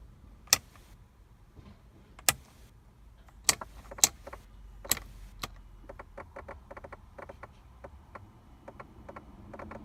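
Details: Mercedes W124 with sharp, irregular clicks from the AC blower fan motor area over a quiet cabin, becoming quicker and lighter; cause unknown.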